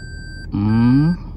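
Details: 2021 Toyota Prius hybrid reversing under automatic park assist, driver only on the brake: a steady high tone holds before and after a brief interruption. Normal continuous close-obstacle parking sensor warning.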